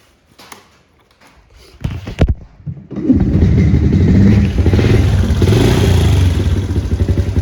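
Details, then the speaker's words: 1993 Honda TRX90 ATV after top-end rebuild and fresh oil change: a few kicks, then the single-cylinder catches and settles into a steady, even putt with no knocks or misses; running normally. "we changed the oil just a little while ago and uh it's running pretty good now"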